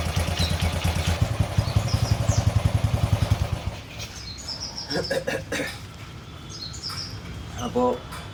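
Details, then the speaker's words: 20-year-old Bajaj CT 100 with a starting problem, after the spark plug was cleaned and sanded because current at the plug was low: single-cylinder thumps catch at once and settle into a steady idle; it now starts cleanly, normal starting. "വണ്ടിയുടെ starting പക്കാ perfect ആയിട്ടുണ്ട്."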